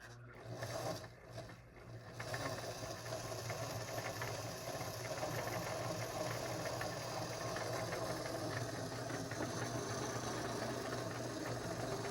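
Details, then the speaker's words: Singer 533 sewing machine before cleaning and oiling; fast uneven clatter about three knocks a second over the motor hum, knocking near the feed dog from dry, unoiled mechanism. "So that's a good example of what it sounds like before. A lot of times those machines literally once they're oiled on a regular basis won't make that noise at all."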